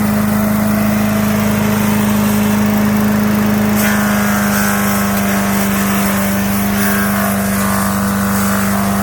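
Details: 5 HP MTD wood chipper/shredder after a carburetor kit replacement: steady, even hum from the small single-cylinder engine holding speed while chewing branches; runs smoothly under load.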